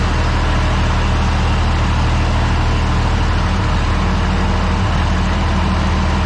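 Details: Tractor idling at 48°F after a quick start aided by the intake-air preheater, oil pressure okay: deep, steady, smooth diesel rumble with no misses, normal idle.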